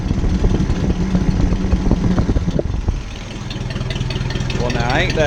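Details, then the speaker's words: Ford 600-series (640) tractor, abandoned a decade, after new intake/exhaust manifold and vertical exhaust fitted: settles from a rough start into an even, steady putter, firing cleanly with no knocks or exhaust leak puffing; normal running. "Sweet Sound I'm so glad to hear that that is absolutely lovely"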